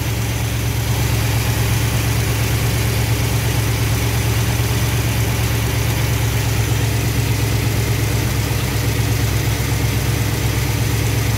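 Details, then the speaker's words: V8 with Thermoquad carburetor after baseline idle mixture tuning with vacuum gauge, in park, idle backed down about 50 rpm to 970 rpm, good vacuum; deep, steady idle just under a thousand rpm, smooth and even, no stumble or miss; healthy idle. "Yeah, 970, it looks pretty good to me. I'm still running good vacuum."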